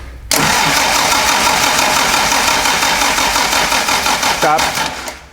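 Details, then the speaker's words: 1967 Morgan Plus 4 Drop Head Coupe, not run in years, choked and unchoked: starter spins engine with fast uneven churning for several seconds, never fires; owner suspects it isn't getting fuel, perhaps stuck carburettor float. "one more time stop I don't think it's getting fuel"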